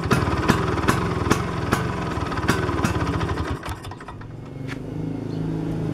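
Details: Vespa two-stroke scooter after connecting just the points (platina) wire to the coil: uneven popping at about two to three beats a second settling to a softer normal idle; engine runs.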